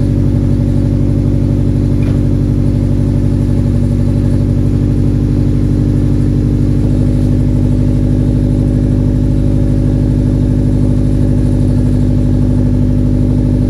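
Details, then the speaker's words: Nissan 240 running after patching exhaust leaks still has a loud, raspy, rumbling note with puffy chuffing; owner suspects internal muffler damage, not confirmed. "okay super weird it still sounds super exhaust leaky it honestly might be damag inside of the muffler actually it might be the actual Muffler that uh just sounds really bad"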